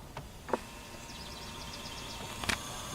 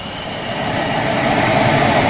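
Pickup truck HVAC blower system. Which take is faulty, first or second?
second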